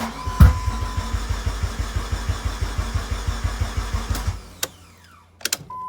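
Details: 2004 Dodge Neon SRT4 after new crank/cam and knock sensor, coil pack, plugs, wires: steady cranking at four to five pulses a second with one early backfire pop, no start; spark weakens, owner suspects bad ECM.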